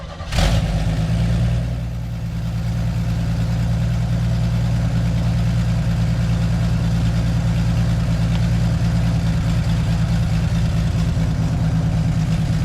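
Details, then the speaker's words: 1965 Chevy C10 cold start at 34°F with new cheap eBay carburetor: catches within a second and settles into a steady, deep, even idle with no stumble or misfire; normal cold start and idle. "I mean, it's doing great. Like, what I I don't know why I didn't think it would work."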